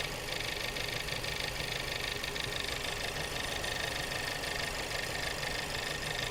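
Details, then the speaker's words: Subaru after engine replacement, misfire diagnosis: petrol engine idling unevenly with stumbling pulse about three times a second under hiss, barely running; fuel pump rattle and injector ticking noted, injector firing in doubt. "if you go to a different cylinder oh lost P sounds like it's barely running right now"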